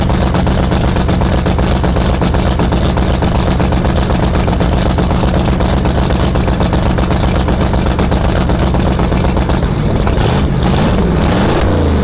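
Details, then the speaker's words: 1971 Sidewinder jet boat 454 V8 after first cold start before removal, new battery, fresh gas: loud, deep, even rumble with steady beat, no misses or knocks; running well. "Cold start, right? So I was standing there and I'm like, oh cool, it's running, sounds good."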